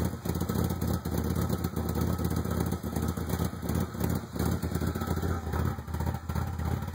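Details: 1995 Ford Probe GT with a rough idle: a lumpy, uneven idle that sags and recovers irregularly. Ran smoothly last year, then ran really rough after emissions repairs, new exhaust manifolds and a new rear exhaust half. Plugs replaced, original wires. Cause unknown.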